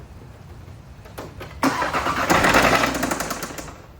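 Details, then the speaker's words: 2018 Audi RS3 with the 5-cylinder DAZA engine, an auction car with front-end damage: it cranks, catches and revs with a sharp metallic knock about four times a second, suspected rod knock, not confirmed. "Here's my Audi RS3 5-cylinder Daza, and here's a video of it knocking."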